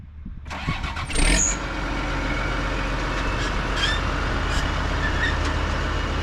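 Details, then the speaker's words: 2005 John Deere 710G 4WD powershift backhoe, 4,302 hours: a brief crank catches quickly, then a steady, even low diesel rumble settles into idle with no knocks or misses. A healthy start. "We'll get that hood shut, we'll fire it up and get right into an operational video."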